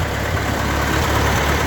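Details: Ford 8N tractor idling after a spin-on oil filter adapter was fitted and a fitting tightened; even low chugging idle with a steady beat, no tapping or misfire, healthy.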